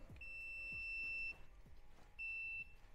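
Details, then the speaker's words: Triumph Street Triple 675R handlebar switch housing tested with a multimeter while chasing the engine cutting out while riding: two clean high-pitched continuity beeps, yellow top and red bottom middle pins; circuit continuous. "so let's go to yellow top in continuous let's go to Red Bottom middle continuous"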